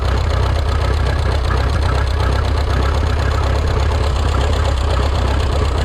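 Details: Rebuilt Minneapolis Moline 335 tractor engine, warm (gauge about 140°), tappet gaps readjusted warm: uneven, stumbling low idle with an irregular beat, not firing cleanly on every cylinder; rough running suggesting a misfire.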